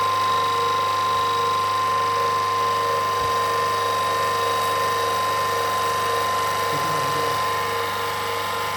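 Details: Autopramie AP-JC9000 industrial pressure washer with green spray nozzle, power raised from its lowest setting, recorded without an external mic. Steady motor drone with constant pitch and an even, rapid mechanical tick about three per second: running normally.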